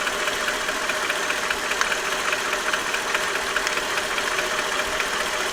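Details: Mercedes S430 W220 M113 V8, warm idle: slight, fairly even knock on the left side, absent when cold, eases with a little throttle, present about 3 years despite oil changes and a new harmonic balancer; cause unknown.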